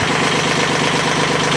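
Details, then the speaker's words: Almost 40-year-old Yanmar 3GM30 marine diesel in a 1986 Contrast 36 sailboat, first run after head-off rebuild (valves lapped, injectors cleaned, new gaskets), held at high revs to purge air after bleeding; dense steady drone, no misses or knocks; normal running. "I'm kind of running it at high revs just to get all the air through. I've been running it for a little bit now, so it should be okay."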